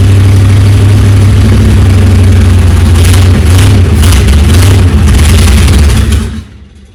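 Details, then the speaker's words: Chrysler 360 LA V8 in a Valiant CH hardtop, first start after sitting a long time: loud, deep rumble with an uneven, lumpy beat and some flutter under load, then shut off; rough running, cause unclear. "it doesn't sound healthy because it's definitely not but here we go again"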